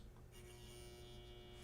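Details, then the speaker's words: Newly built 40-year-old NOS Heathkit stereo preamp slowly powered up on a variac near 90–95 volts on the way to 117–120 V: a low steady transformer buzz rises with a faint relay click. This is normal hum with no problems seen. "can hear the transformer on the preamp starting to buzz, and I think the relay just switched on."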